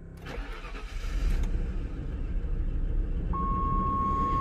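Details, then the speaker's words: 1995 Bentley sedan with 115,000 miles that hasn't run in a while, after dying once: long uneven cranking that catches and builds toward idle, with a chime near the end; slow to start, later showing a check engine light and a suspected misfire. "it just hasn't run in a while there she is pop right up"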